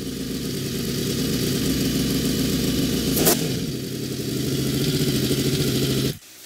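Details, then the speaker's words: Honda VFR750 V4 after carburetor rebuild and install, running at a raised idle that stays high because the throttle sticks slightly open; idle had to be brought down. "is sticking a little bit open i told you i had to stick them before it was just cracked up here but i had to bring the idle down"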